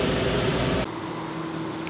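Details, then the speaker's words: Wrecked Georgetown RV rooftop AC, damaged cover, switched from fan to cool: loud airflow rush drops to a steady even hum with a low tone; blowing really cold, cooling normally. "So switched it over from just regular fan to actually cool, and I heard something else turn on, and it is blowing really cold."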